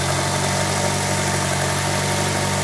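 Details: 1998 Eclipse GSX at idle: faint, even high-pitched chirp riding over the engine note, unchanging; cause not evident.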